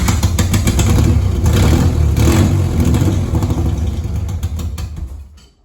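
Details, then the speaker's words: Toyota MR2 3VZ-FE V6, long-sitting, exhaust leaking water and smoking: engine catches, stumbles with uneven lumpy pulses, then dies within seconds; owner suspects coolant getting through, misfiring. "all right guys so we're going to try because that thing is leaking like water which I think is cooling though the exhaust so we're going to try to bump it again"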